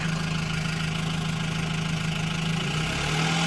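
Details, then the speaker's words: Engine at idle after valve cover work: a steady, fast ticking chatter over the engine note, unchanged and the same noise as before. Owner suspects plastic left under the cam and plans to redo the job. "okay so unfortunately it is still making the same noise but uh hey there might still be some plastic underneath that cam so I'm gonna have to take it back off and redo it"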